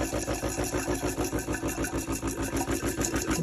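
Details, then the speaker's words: Delonghi espresso machine, descale cycle apparently interrupted and steam button flushing: steady pulsing buzz of about three throbs a second as the pump labors without building pressure, moving only a little water from tank to steam wand. Weak pump. "the pump doesn't let the water pump from the tank to the steam wand it's pumping a little bit but not enough and now it's back to the same thing"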